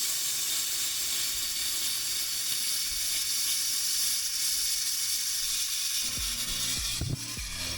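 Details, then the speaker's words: Hot water line in the VIP head of a refitted, previously sunken 2021 Leopard 50 catamaran, bled at the starboard hot water tank: harsh hissing spray with uneven spitting, then choppy surges as trapped air clears; hot water follows, good flow. "That is a crazy amount of air and water flow. All right, so I can hear it. I think we're gonna get some hot water here in just a second."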